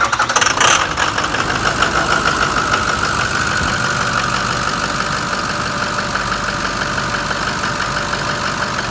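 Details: Diesel engine after costly repair work: quick crank and catch, then a settled idle with an even clatter and no misses or knocks; runs healthy.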